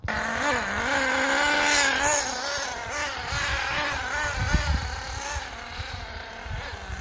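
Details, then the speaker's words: HPI Firestorm 10T nitro RC car after refitting carburettor barrel that was installed the wrong way round: buzzy engine revs unevenly, surging and sagging, stalling; needs engine tune of idle screw and high/low needles. "So as you can see, I've now got it up and running, but she is stalling, so she needs a bit of"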